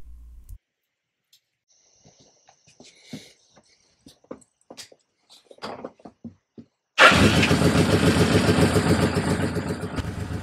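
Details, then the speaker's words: Suzuki GS750 at first start-up before carb vacuum tuning, vacuum gauges fitted after air filter upgrade, valve adjustment and ignition relay mod: lumpy, uneven idle pulse with one cylinder lagging; number two cylinder pulls far less vacuum than the other three, carburetors unsynchronized. "here's how the vacuum gauges looked when I first started it up we can see that the number two cylinder isn't pulling nearly as much vacuum as the other"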